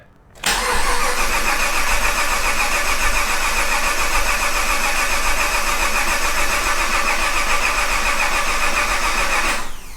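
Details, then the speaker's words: Project Crewman car, first start attempt after 2.5 years of work, fuel pump primed, laptop connected: starter spins the engine steadily for nine seconds and it never fires; owner suspects no fuel and checks the end of the rail. "Okay, something is not happy. It's not getting fuel or something."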